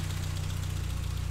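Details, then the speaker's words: 1959 Triumph TR3A, pre-purchase inspection, coolant shows no bubbling or contamination, no blow-by smoke: steady, even low thrum at idle, regular firing pulse, no deep metallic knocks from top or bottom end; healthy idle. "try stay mindful of that not hearing any abnormal engine noises like any deep metallic noises coming from the top or bottom bottom in"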